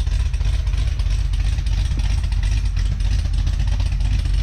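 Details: Cadillac CTS-V idling on a stock muffler with an aggressive performance cam: deep, choppy idle with an uneven loping thump about three times a second, plus a noted tapping; steady, healthy lopey idle.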